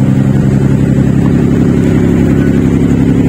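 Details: Mitsubishi Galant V6 after repair: the ignition coil was replaced to cure a misfire and lack of power. The engine now revs cleanly and evenly with a strong, steady pulse and no skips; normal running on all cylinders.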